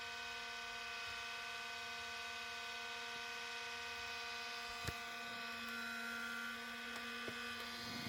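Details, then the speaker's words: IBM ThinkPad R52 laptop (2005 model, built 2006) found at a recycling point, booting: a constant whine at one steady pitch with a couple of clicks; very loud cooling fan, suspected poor upkeep by the previous owner. "펜 소이 엄청 심한 거 봐서는 전 주인이 제대로 관리를 하지 않았던 모양입니다"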